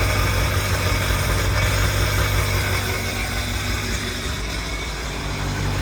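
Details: 2002 Sea-Doo Sportster LE boat, 951cc, first start after a rebuild combining two boats: deep, even rumble with a steady beat, no knocks or rattles; normal smooth idle.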